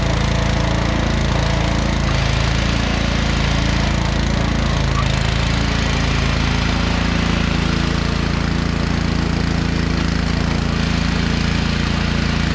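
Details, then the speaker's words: Scotts by John Deere 12.5HP 42-inch lawn tractor, unused a couple of months, mowing; deep steady drone with even low beat, no stumbles or knocks; running smoothly, mowed well. "today it started just like that you know what i mean mowed my yard really well"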